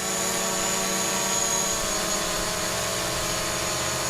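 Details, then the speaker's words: DJI Mavic Pro hovering with three damaged propellers: a buzzy multi-pitch whine wavering unevenly as the motors keep correcting. The props are out of balance and the drone is a little wobbly. "It's a little bit wobbly, and I can hear it. Its propellers sound uneven, like it's, you know, clearly."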